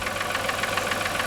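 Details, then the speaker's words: 1996 Voyager, first start after sitting 3 years, fresh gas, oil, oil and air filters: steady rapid knock at idle, several beats a second, over a thin engine note; cause unknown. "Doesn't sound good at all. Got a bit of a knock to it."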